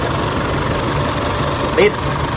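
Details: 2005 Isuzu D-Max diesel, towed in with a no-start, just started after repair with the front DJB sensor replaced: steady, even diesel clatter at idle with no misses or knocks.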